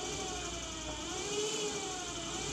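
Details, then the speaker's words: VW air-cooled 2332 stroker (1968cc) engine generator, jumped from battery positive to polarize it: faint steady whir with no grinding as generator motors; normal, worked after polarizing. "and it is spinning it you can hear that so that's good so apparently if i do this i am supposedly uh polarizing [Music] this uh generator"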